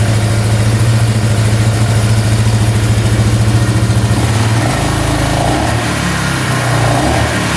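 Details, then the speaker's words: Repaired Polaris ATV after fuel delivery fix (petcock seal possibly replaced, lines possibly misrouted): engine blips up and settles back to a steady, even idle promptly, no ticking or misses. "Comes right back down to idle. Awesome."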